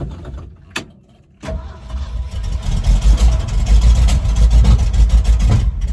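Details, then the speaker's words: 1975 Ford F250 FE 390, first start after 30 years on mismatched spark plugs, timing possibly wrong: coughs while cranking, then catches and runs rough, sputtering; owner suspects it is flooding badly. "I think it's flooding out really bad."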